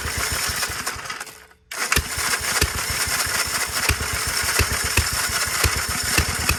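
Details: 1946 Gravely Model L single-cylinder, first run after about five years idle, started with ether in neutral at mid throttle; catches after a pause, settles into even chuffing about three to four beats a second, normal running.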